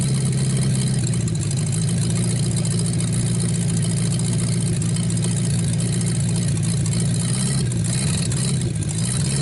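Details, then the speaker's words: 1949 Buick straight-8, first start in years, with distributor cap and rotor from a 1950 parts car; smooth, constant low idle hum, even firing with no tapping or stumble, running really good before running out of gas. "So we'll let the engine cool down. It's running really good though."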